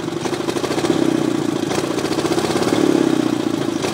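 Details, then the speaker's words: 18 hp Briggs engine with the throttle punched: it climbs sluggishly, the note wavering and stumbling instead of rising cleanly, bogging in the middle of the power band so it has to be nursed. "okay i'm gonna try to illustrate the problems i'm having with the uh engine 18 horsepower um not smoothly accelerating and uh having to kind of nurse it in the middle if i punch it here's what happens"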